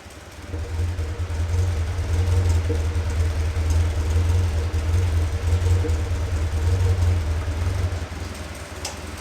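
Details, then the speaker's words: Caterham Super Seven 1600GT Sprint, about 27 years old, idling and blipping with the silencer insert removed: deep, booming, very loud petrol exhaust roar. The stock muffler's wool packing is burnt. "少しだけサイレンサーを外して音を聞いてみましょうか凄くうるさいのですがとてもいい音がしますよ"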